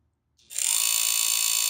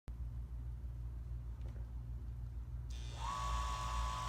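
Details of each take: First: Chugger pump motor spins up into a fast, hissy ratcheting click as a bent rear cooling-fan blade strikes the aluminum rear housing; fixed by pushing the bent blade back in. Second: Chugger pump running normally: steady low motor hum, then hiss and a thin steady tone; a fan blade hitting the rear housing would instead make clicking.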